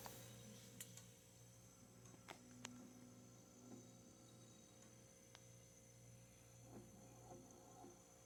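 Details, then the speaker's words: Haier HRC2731ACW mini refrigerator: quiet, steady low compressor hum with faint light ticks and refrigerant heard flowing; running normally, evaporator getting cold. "You can hear the freon going through."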